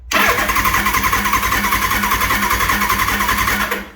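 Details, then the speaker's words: 1983 Suzuki GS1100E during ignition timing work, cranking without starting to pump oil up into the head for break-in: even, quick starter whirr with steady compression pulses for about four seconds and no firing; cranks freely and normally. "Dry cranking the engine. Well, not dry. I call it dry cranking it, but you can see it pumped oil up inside the head."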